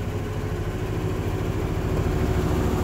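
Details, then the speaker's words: Freshly rebuilt Chevy 350 on first start: used 4-bolt main block, racing pistons, forged crank, new bearings, rings and oil pump, stock intake and pan, spider injection. It idles a touch high, slightly lumpy and wobbly, then settles, no knocks or rattles; normal idle after rebuild. "It's revving up a little revving a little high. It's coming down now. Ooh, sounds pretty good."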